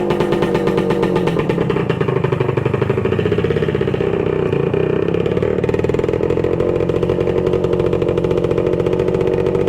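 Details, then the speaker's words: 1966 Suzuki Bearcat 120cc two-stroke, revived after sitting dormant, started for a test ride while the battery charges: crisp, rapid ring-ding that holds steady and picks up cleanly with throttle, no misfire or rattle; healthy. "Nothing like a two-stroke."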